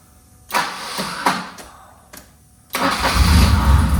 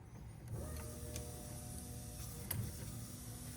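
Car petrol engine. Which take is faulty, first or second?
first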